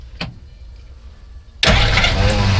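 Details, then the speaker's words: 1957 Willys Jeep FC150 Forward Control with Hurricane engine, choke working, external canister oil filter, electric fuel pump: after a short quiet spell the engine catches at once and settles into a strong, steady run; clean, healthy start. "we put it on my lift but overall it it runs really good drive it anywhere"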